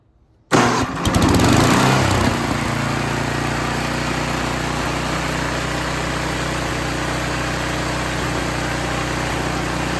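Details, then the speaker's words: Curb-salvaged snowblower with a new carburetor and new fuel line, electric start: fires on one push, flares briefly, then holds a steady, even small-engine drone with no surging or misses. Normal running. "okay so there you have it one push of the button and fired right off so it looks like that new carburetor is going to work fine"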